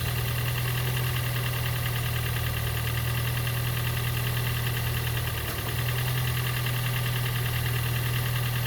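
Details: Gen 2 Toyota Prius 1.5L hybrid with codes P3190, P0A0F, P3000 and P0A80, engine running after a cold no-start: low, lumpy rumble with a loose beat around three per second that never smooths out. Diagnosed low compression; very little resistance on the compression stroke when turned by hand.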